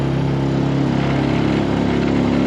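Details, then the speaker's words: Nissan 5HP four-stroke outboard on a 14 ft boat, first run after a cheap flex-seal hull fix; steady drone with constant pitch, no misses or rattles, pulling evenly under load though perhaps slightly underpowered for the boat; normal running under load. "maybe it's not quite enough motor for for uh 14 both but she's moving it she's moving it all"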